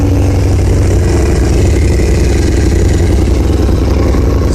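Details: 2000 Honda CBR600 carbureted motorcycle idling low and steady, about 1,000 rpm, with an even exhaust pulse and no stumbling, after fixing leaking carburetor intake boots (vacuum leak) that had caused poor throttle response and hard starting.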